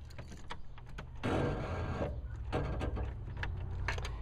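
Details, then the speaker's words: 1970s Ford van that won't start: short bursts of harsh whirring and grinding with no engine catching; the starter is suspected of spinning without pushing out to engage the flywheel. "indicates I don't know if you can hear the grinding it indicates that the starter is spinning but it's probably not pushing out and engaging the flywheel and starting the entire engine"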